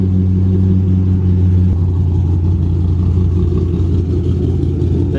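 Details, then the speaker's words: Cammed 3V Mustang (2005-10), 75,000 miles, custom tune, idle raised to about 1040-1090 rpm: deep lumpy loping idle, two to three beats a second; cam chop still present, idle needs raising further. "Chop is going away. It's slowly going away. There it is."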